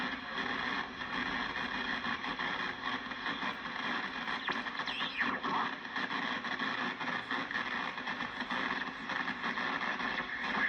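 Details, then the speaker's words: National NC-303 receiver after internal hum fixed, on the 10 m band with noise limiter; steady rasping hiss with fast buzzing crackle drowning the band; external interference, owner suspects powerline or house wiring fault. "the national NC 303 is fixed I don't have any hum on it now but unfortunately now I have static I have interference from the neighbors or some electrical short in my house or someone else's house"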